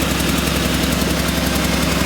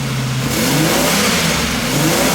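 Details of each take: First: Buick Reatta engine idling warm with a quick, even ticking puff several times per second; exhaust leak, location unknown. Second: Buick Reatta after fixes, idle around 1,200 rpm with no dash lights (ABS fixed, check engine light gone): clean, quick repeated throttle blips rising and settling without stumble; runs smoother with less vibration, though an exhaust leak remains nearby.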